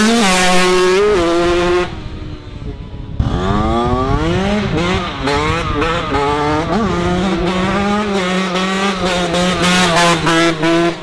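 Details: Yamaha YZ 125 two-stroke restarted after engine failure and full engine rebuild: crisp buzz rising and falling cleanly with each throttle blip, steady between revs; engine sounds healthy and sharp.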